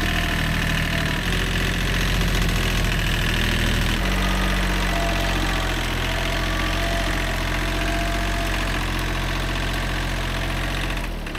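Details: Old, worn Kubota B7100 diesel tractor at a settled idle after a gearbox rebuild that replaced chewed-up gears and bearings: a steady, even chug with no whine or clunk from the gearbox; the tractor runs healthy.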